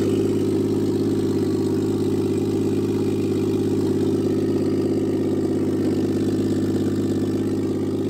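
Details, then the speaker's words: Toyota Aristo on a new Garrett G35-900 turbo, first start, only about 6 inches of exhaust after the turbo: loud, raw, even idle with a deep steady drone, no misfire or knock; normal idle. "You can hear it, it's really loud. It doesn't have but maybe 6 inches of exhaust on it off the turbo."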